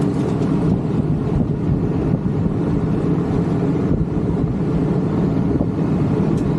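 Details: 37-year-old Rheem AC condenser first start after replacing the contactor and capacitors, previously not cooling: steady low hum and whoosh of fan and compressor, no rattles or buzzing; normal running.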